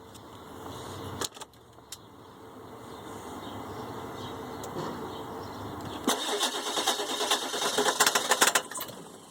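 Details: 2003 Ford E350 7.3 turbo diesel: quiet clicks, then a few seconds of uneven starter churning that never catches; cranks but won't start.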